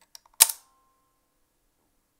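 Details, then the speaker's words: Fuji GW690 III 6x9 medium format leaf-shutter camera held close to the mic: sharp shutter snap then a thin metallic ping ringing like a spring recoil inside on release; owner suspects the counter mechanism, unconfirmed. "can you hear that sort of ping it's a pinging sound I'll put it close to the mic so it makes this kind of spring recoil sound going on inside but I think that's got to be something to do with the counter maybe"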